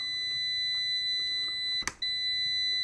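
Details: Amprobe multimeter continuity beep with about 20 ohms across the leads: steady piercing tone with one brief dropout; meter keeps beeping up to its 60-ohm threshold.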